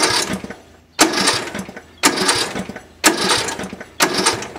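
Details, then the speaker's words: Yardworks 42-inch 155 series riding mower, after new battery terminal connectors and ground: four separate cranks about a second apart, each turning the engine over cleanly; earlier click-no-crank was a bad connection. "I'm not trying to start the engine. I just wanted to see that it would turn over every single time. So I think it was just a case of a bad connection."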